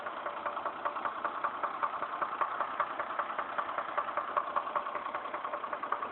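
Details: Chevrolet Trailblazer with about 110,000 miles and trouble code P0014: a sharp, regular knock about 2.5 times a second over the idle. The internal engine knock was later resolved.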